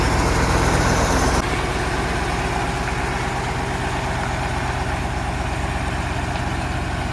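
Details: Tatra 815 V10 diesel truck, back home after engine repair: settles from a brief higher speed into a steady, even low idle with a regular beat and no knocks; runs healthy.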